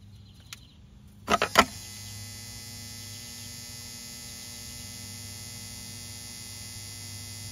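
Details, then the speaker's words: Volvo Penta SX-A power trim/tilt pump motor, bench-run after smoke cleared; motor not hot, switched between directions. Clicks as power connects, then a quiet steady electric hum, no catching or grinding; spins freely, runs normally. "motor is spinning no no smoke anymore it's shaking like this because I'm going from one direction to the other kind of going up and down"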